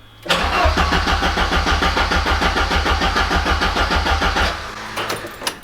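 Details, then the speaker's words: Ford Sapphire RS Cosworth; fuel pump hasn't primed, car in neutral; the starter cranks steadily at about three pulses a second for four seconds and the engine never catches. "so the fuel pump there hasn't primed but if we crank it I'm just going to check to neutral again"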